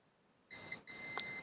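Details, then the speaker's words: Manta SPK15GO Bluetooth speaker mainboard, multimeter continuity test with the coil laid so its legs bridge the pads: two sharp high beeps, the second held steady; short circuit on that capacitor. "cewka Teraz wsiadła dwoma tymi po swoimi nóżkami na tych polach przewodzi i zobaczcie co się dzieje jest zwarcie jest zwarcie już na tym kondensatorze"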